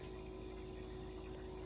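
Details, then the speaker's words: Kenmore refrigerator (bought 2017), compressor hadn't been starting (fan ran); obsolete compressor inverter box repaired by replacing its circuit card: after repair, faint steady mains-pitch hum with no clicking; compressor running normally. "The thing is running. I think the compressor's running. Yeah, the compressor's running."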